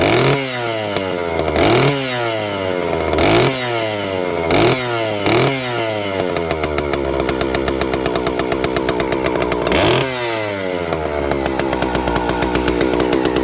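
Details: Vintage Stihl 041 Super, just over 70 cc, started cold: several sharp throttle blips rising and falling, then a steady high buzzing run; crisp, strong two-stroke with clean revs, normal running.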